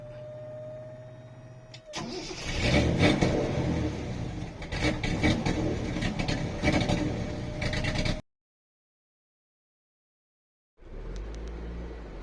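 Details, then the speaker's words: 1973 Datsun 240Z series 2 on carburetors, running rich and not yet tuned; it died on the road and the starter spins steadily without firing. It had run out of fuel because of a badly calibrated fuel gauge; nothing else was wrong. "we just ran out of fuel uh I had uh fuel sent to me and then uh my mechanic jumped in and drove it home there was nothing else that was the problem is just ran out fuel"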